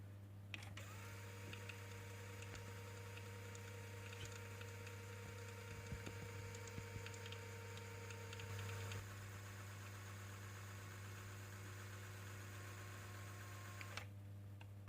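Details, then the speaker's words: Luxman K-03 cassette deck after a full service, regrease and record-error correction, tested with a 60 tape in fast forward and playback. A quiet, steady motor hum and soft tape whirr with no scraping, squeal or flutter: the mechanism runs smoothly. "බොහොම smooth විදියට mechanism එක රන් වෙනවා දැන්."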